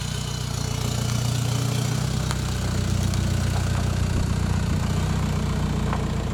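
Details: Volkswagen Jetta Wagon diesel idling during testing of a newly installed full exhaust: steady, even low clatter and rumble with unchanging rhythm. Normal idle.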